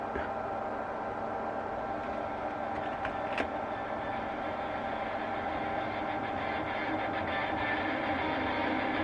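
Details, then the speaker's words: 1948 Radio Rentals Model 60 valve radio, signal injected directly into the output valve grid. Steady hiss with faint buzzing tones and no clean signal; grounding the input gives silence. Noise source not yet traced. "we've got some noise there but yeah if I disconnect that from there now and connect it to the ground socket and volume up silence"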